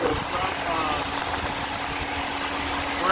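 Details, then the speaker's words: 2002 Nissan Sentra after head gasket replacement: steady, even idle with a constant low hum and no knocks, misses or rattles; sounds like a new car. A check engine light remains from a sensor wire that hit the fan. "but outside of that it's running like a top really good sounds like a new car"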